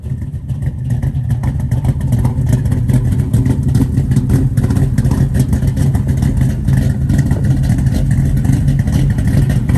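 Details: 1972 Chevrolet Nova SS, K code, built 502ci V8 with big cam, under 10,000 miles since rebuild, odometer 27,493, 4-speed manual, 4.11 posi, dual exhaust; fired up, choppy uneven lope about two beats a second with exhaust popping: normal big-cam idle.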